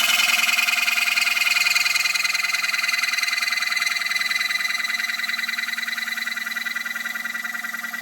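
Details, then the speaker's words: Turning a black acacia bowl on the lathe, wall still about a quarter inch: a harsh buzzing rattle as the gouge starts to chatter while the wall thins. "You can hear it starting to chatter. Yep."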